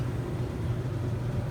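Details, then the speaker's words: Samsung DV45H7000EW/A2 dryer after refitting the belt that had slipped off the pulley/tensioner: empty drum on quick dry gives a soft, even low rumble, no squeal, thump or scrape; it also heats, so it runs normally. "Everything is spinning. Doesn't make any noises."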